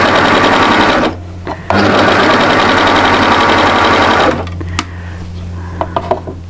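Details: Overlocker neatening a curved edge of a lightweight top to stabilize it; fast, even mechanical whirr in two stitching runs with a short pause between, then it stops; runs smoothly.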